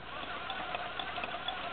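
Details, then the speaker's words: 1976 Yamaha YZ80 gear case, drill-driven in first gear before splitting the case: steady even whirr with no grinding or catching; gears sound healthy. "Now you may not hear on the camera, but there is no grinding. If you do hear grinding, then there's something wrong with your ears."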